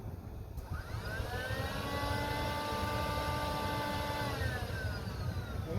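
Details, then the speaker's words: 2003 Cadillac DeVille DHS, P0410 secondary air injection repair: air pump under the car, old cover removed, commanded on with a scan tool; a whine spins up, holds steady about three seconds, then winds down smoothly, pump working. "But I'm going to command it with the scan tool first, and we'll start it. It should be louder now without what was left of that cover over it. Okay, commanding it on now."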